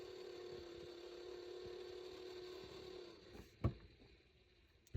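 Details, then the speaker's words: Vehicle whose heater/AC fan won't come on: steady low motor whir for about three seconds then cuts out on its own; passenger-side blend door actuator cycling. "And you can hear a blend door on the passenger side."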